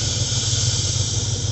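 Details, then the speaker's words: Ford engine running again after lifter replacement: steady airy hiss over low idle rumble; hard brake pedal with no assist, owner suspects lost vacuum to or at the brake booster. Vacuum hiss. "a hiss and no pressure. I mean, a hard pedal, but it doesn't actually do anything. So, yeah, it seems like I lost vacuum either to the booster or at the booster."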